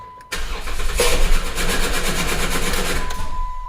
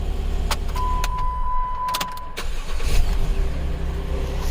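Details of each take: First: 2011 Jeep Wrangler 3.8L with misfire and cam sensor codes P0340/P0344/P2305, after a new coil pack, injector and plugs and a PCM replacement and programming: brief crank, then a harsh scraping rasp as it starts; flex plate or starter failure suspected. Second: 2011 Jeep Wrangler 3.8L, former misfire and cam sensor codes, after replacement ECU fitted: low, even idle hum with no dips or misses, chime and clicks over it; rock steady RPM, running well.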